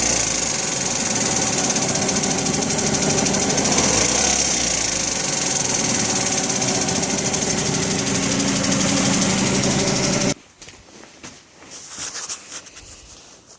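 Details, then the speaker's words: 2005 Dodge Neon about 200 km after head, manifold and intake gaskets were replaced: sharp, regular tick about four per second while running, then cuts out. Owner suspects a stuck lifter, blown manifold gasket or broken manifold bolt. "it changed the head gasket and manifold gasket and intake gasket and about 200 kilometers on it and now she's making a real bad ticking noise don't know if it's a lifter stock a little bit of dirt maybe I blew the manifold gasket or broke a bolt putting the manifold back on"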